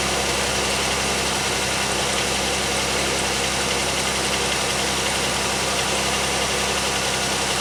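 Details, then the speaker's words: 2001 Pontiac Aztek GT at about 170,652 miles: steady, even idle with a smooth low hum, no knocks or ticks; the engine sounds healthy. "don't really notice it after that because well the dinger is going off for the one of the bad wheel sensors back there so the chime is constantly you know but the engine still sounds good"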